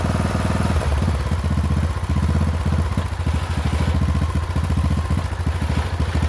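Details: Poulan XT 12538 riding mower, 12.5 hp single-cylinder, 38-inch deck, carburetor had leaked fuel into crankcase and been replaced; uneven, lumpy beat with loose clattery edge over steady low thump, runs rough; owner suspects valves out of adjustment, unconfirmed.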